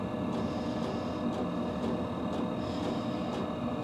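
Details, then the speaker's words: New diesel heater in a hunting blind, burning in with some packing oil smoke from the exhaust, heard indoors: soft steady fan hum with faint fuel-pump tick about twice a second while still priming; normal, not very loud. "I mean I can definitely hear it in the room but I don't think it's Extremely Loud"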